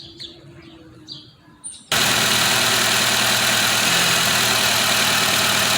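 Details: 2008 Nissan Rogue with code P0300 multiple-cylinder misfire and check engine light on: engine catches after birdsong and settles into an idle with a faint uneven pulse, about two beats a second, indicating a misfire.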